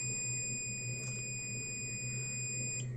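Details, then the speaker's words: Multimeter on continuity range probing an LED bulb MCPCB from the plus pad to an LED: a steady high-pitched beep showing the track is connected. "अब ये जो connected है इस LED से connected है, अर्थात मैं यहां से अगर यहां कनेक्शन दूंगा तो बीप की आवाज आनी चाहिए। देखिए बीप की आवाज आ रही है।"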